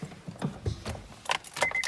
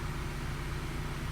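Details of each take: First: 1997 Honda Prelude after a valve job: head resurfaced, exhaust valves replaced, new head gasket and manual timing tensioner. Earlier no-start blamed on the crank position sensor. A few chime beeps, then steady cranking that never fires on this attempt. Crank no start; it starts on retry. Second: 1997 Honda Prelude after a valve job, new head gasket and manual timing tensioner, now running after the shorted crank position sensor was dealt with. A short, steady low idle with an even hum and no misses or stumbles. Normal idle.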